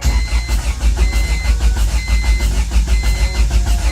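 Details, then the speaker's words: Honda Civic EK with a B20 swap, first crank with the clutch held and no shift linkage: heavy, even starter churn with compression thumps that never fire. No fuel because the fuel rail broke, the gauge reads nothing, and the owner suspects a possible fuel pump problem. "so my fuel rail ended up actually breaking on me we weren't getting any fuel because the gauge wasn't reading anything so it might be a fuel pump thing but we're getting it to crank now which is a huge accomplishment"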